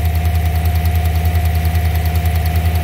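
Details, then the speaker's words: Chevrolet Silverado 5.3 V8 idling: light, even tick about three times a second over exhaust drone, with a slight misfire; coil wire hanging off, plug wire arcing, not lifters or exhaust. "all right well the interesting part with this is the ticking again was just a coil wire did they do something and they had the coil wires off or something"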